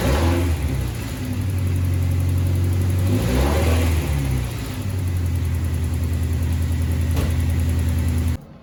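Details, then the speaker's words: Honda CR-V RD1 after replacing all the drive belts: low steady hum at idle and two smooth blips up and back down, with no squeal or chirp from the belts; engine sounds healthy. "So, I got all the belts all done. This is what it should sound like."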